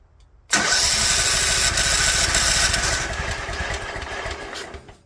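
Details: Toro Wheel Horse 265 garden tractor with coil checked and a different starter fitted, choke on and throttle up: catches abruptly, then runs ragged and uneven and sags away within seconds; owner suspects something wrong internally; rough running on start.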